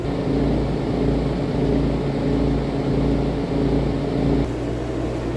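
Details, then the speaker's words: RV rooftop AC fan motor vibrating because of missing bolts at its rubber-grommet mounts, recorded before the fix, giving a heavy low rumble with an uneven knocking, thumping beat. "this AC currently was making a lot of noise a lot of rumbling and knocking noises and I was wondering what the heck was going on"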